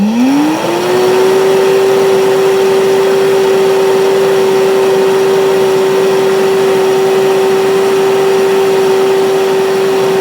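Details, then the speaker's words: Mini wet/dry vac that died vacuuming drywall dust, after repair of overheating heat switch: motor spins up in about a second to a clean steady whine and smooth hum, no stumbling or surging; normal running, sounds different from when it failed. "All right, that sounds a whole lot different than it sounded when it took a crap."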